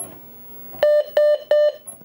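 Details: Amstrad PC1512 DD CM (640K, version 1 motherboard) after floppy drive repair, booting MS-DOS: three loud even mid-pitch beeps a third of a second apart; normal boot beep, volume loud.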